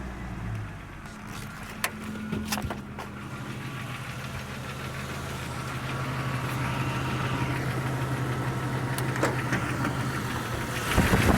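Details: 1999 Jeep Cherokee XJ at 307,000 km (190k miles), cold start: a light tapping knock about four per second at idle that fades when revving and disappears when warm; owner believes piston slap.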